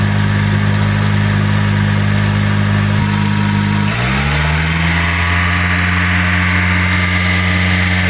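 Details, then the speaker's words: 2003 Honda with code P0507 and hunting high idle, overheated and lost coolant; raised idle then pitch drops and settles at a new speed; sounds like a massive vacuum leak, cause unconfirmed. "pretty weird. Guess I don't have to hold the idle up to get the bubbles out. Okay. Sounds like a massive vacuum leak."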